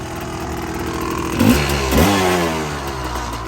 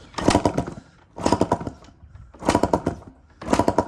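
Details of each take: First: Yamaha Tri-Z two-stroke three-wheeler barn find after CDI and coil replacement: uneven burbly running stumbling as throttle is blipped, visibly loaded up; rich running (loaded up). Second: Yamaha Tri-Z three-wheeler barn find, compression test with gauge in spark plug hole, throttle wide open, carb and reeds removed: four kick strokes of firm chuffs about a second apart, reading over 180 in under four kicks; good compression.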